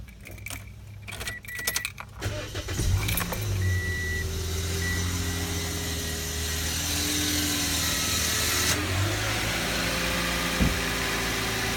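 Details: 2008 Toyota Yaris with check engine light on for over a month: keys rattle, then the engine cranks and catches with a thin whining tone over the idle. Odd start noise; owner's dad suspects the serpentine belt, not confirmed.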